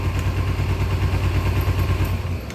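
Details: 2000 Kawasaki Ninja 250 bought for $60, barely getting to idle: low idle lopes and wavers unevenly instead of holding steady; rough unstable idle pointing to fuel delivery, carburetors still need rebuild kit, Marvel Mystery Oil added.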